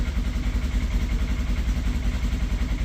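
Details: General XP side-by-side, cold start after sitting unused about three months: deep, steady low thumping at about two to three beats a second, cold engine idling evenly while it warms.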